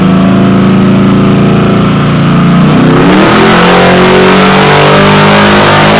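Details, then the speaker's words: Warmed-up Malibu on a chassis dyno, first naturally aspirated full-throttle pull before nitrous, run to clean the plugs; climbs smoothly, then turns ragged near the top, breaking up slightly at the end. Dyno air-fuel monitor showed it lean. "The engine broke up just a little bit towards the end of the first pull, but I figured the second one should be a little bit better once the plugs are cleaned up. The air fuel monitor on the dyno showed that the engine was lean, a problem we would have to deal with before we turn on the nitrous."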